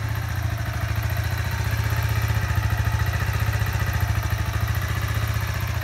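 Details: Kawasaki Z125 Pro, 3 weeks old, just over 100 miles: small single thumping at idle with a light, uneven tick over the exhaust beat, starting once the bike is warm; cause unknown.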